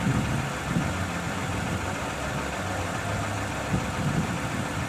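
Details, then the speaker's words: 2007 Toyota Camry XLE V6, fully warmed idle: smooth, steady low hum with even firing and no knocks, misses or whine; normal. A slight rattle can persist until the engine is fully up to temperature. "so what you're hearing now is pretty much what they run like when they're warmed up"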